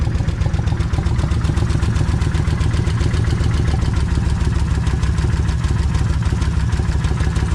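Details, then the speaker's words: Kawasaki Vulcan 1600 V-twin just started cold, before a crankcase flush and oil change: loud idle with an even, rapid ticking of about four a second over the low thump; owner hears the lifters. Something loose on the exhaust also noted. "uh yeah I can I can hear them okay I'm going let it sit here and warm up"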